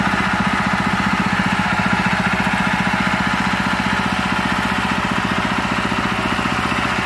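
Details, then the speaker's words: Honda GX160/200 engine after replacing the piston and the damaged governor gear: steady, even fast idle with no roar or hunting. Earlier loud running, white exhaust smoke and throttle that would not drop are fixed. "Suaranya kembali tenang, tidak menggelegar lagi. Semuanya sudah beres sekarang, teman-teman."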